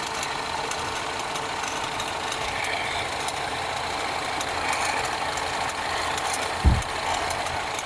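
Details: BMW 316i F30, first cold start of the day: light fast ticking over a quiet idle, keeping pace with engine speed, from a bad radiator/AC fan belt tensioner; should be replaced before it breaks.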